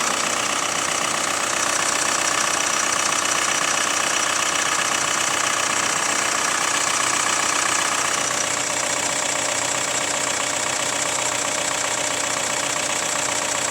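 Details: Hyundai ix35 CRDi 136 hp diesel, cold idle at -1°C after sitting half a day: fast, even light metallic clatter, about four ticks a second; owner suspects hydraulic lifters or chain tensioner, cause not pinned down.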